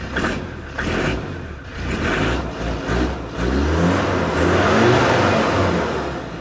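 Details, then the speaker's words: Land Rover Discovery 2 after blower replacement and bleed sequence: engine catches after a brief churn and settles into an even, steady diesel idle with a couple of light revs; it runs healthy. "i'm gonna fire her up give me a second oh awesome okay"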